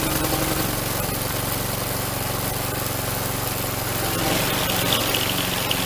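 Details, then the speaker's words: Troy Bilt string trimmer two-stroke after fixing an air leak at a warped plastic housing: steady, even idle buzz with no misses. It runs healthy with no ether, though it was flooded and may start hard. "But that took care of it. It may start a little hard now because I flooded it, but no ether this time."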